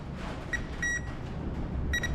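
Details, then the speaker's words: Power Probe test on an '84 CJ7 with swapped-in fuel-injected 4.0 L from an OBD1 Grand Cherokee, battery fitted: two short high steady beeps confirm battery voltage present at the alternator and at the starter. "we have battery voltage at the alternator so that's good um we have battery voltage at the starter so that's good"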